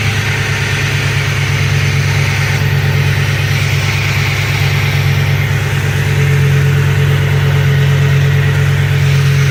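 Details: 2007 Ford F-150 4.6L 2-valve V8 with P0306 cylinder 6 misfire at idle: uneven lumpy beat, one cylinder dropping out, engine shaking; coil swapped to diagnose, ended as no-parts repair with root cause unknown.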